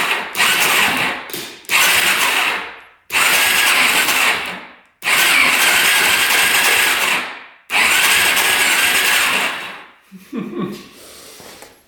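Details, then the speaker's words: Suzuki LTZ400 quad, sitting eight years, electric start; uneven labored rough cranking in short bursts, turns over hard; owner suspects a rod bearing or possibly a tight ring. "Sounds a little iffy. Definitely sounds iffy. Almost sounds like a rod bearing is gone, but uh we're going to continue to lube this thing up. Could just be a tight ring in there."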